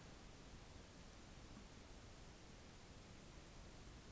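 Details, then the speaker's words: Hot central heating radiator with a cold patch at the top, vent opened slowly with a bleed key: a soft, even hiss of trapped air escaping until water reaches the key; trapped air in the radiator. "When you do this, you'll hear a slight hissing noise and then water will start to run into the bottom of the bleed key, and that's when we close the vent back off."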